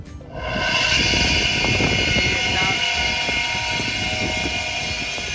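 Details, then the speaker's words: Vintage Delta radial arm saw thought to be from the 1950s or 60s with apparently original parts, bought at a swap meet, powered up as a demonstration. The motor spins up in half a second to a steady hum with a high whir and no grinding or rattling; it runs fine. "sounds like the uh the motor works great and the reason my brother likes these kind of uh vintage items is because most of the tools nowadays only last you two two years"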